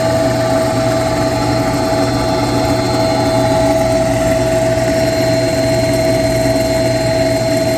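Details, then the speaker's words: Noisy pump on a chiller circuit after a low discharge superheat alarm (sensors found off and recalibrated), recorded up close: loud constant hum, sharp steady whine and rough rumble underneath; bearings or fan unknown, being checked with a vibration analyzer. "I'll put you up close you can hear how noisy this pump is but is it the bearings or is it just the fan well let's find out"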